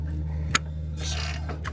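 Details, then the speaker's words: Nissan Qashqai 1.2 DIG-T engine turned by hand: sharp metallic click and loose clattering from slack timing chain, caused by failed exhaust VVT cam sprocket; chain nearly jumping teeth during timing. "Well, it's not jumping just yet, but that's the rattle right there. You can hear that."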